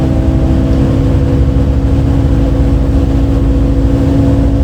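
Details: Recorded 07-03-2022 aboard 2008 MAN Lion's City A37 bus 3477 (MAN D0836 LOH 63 diesel, ZF Ecomat 6HP automatic) on line 8 Eindhoven. A heavy diesel drone pulling steadily under load with a constant odd humming tone on top; cause unknown.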